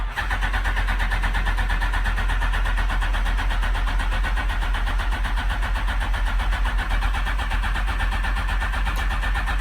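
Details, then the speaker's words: Smart car with Phaser 1000 motor swap, cold start in neutral after fuel pump priming: starter switch stuck on, steady cranking about four turns a second that never catches; smells flooded, starter stays engaged. "so the starter switch got stuck on I don't know what happened but it smells flooded now"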